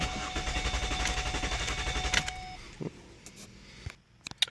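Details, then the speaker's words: 2008 Mazda Tribute, fuel pump fuse and relay 31B removed to relieve pressure before fuel pressure sensor replacement: steady starter cranking about four beats a second for two seconds, never catching; crank no start. "So we'll go ahead and crank it over now. Okay, so we'll just crank it up and let it run the fuel"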